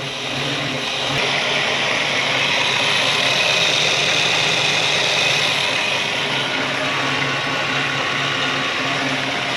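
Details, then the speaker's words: 1964 Buick Electra 225 V8, 38,000 original miles, rebuilt after an engine fire: even, steady, quiet idle with a soft regular pulse about three beats a second, no knocks or misses; normal healthy idle. "thing is quiet as a mouse it's nice when it exhaust"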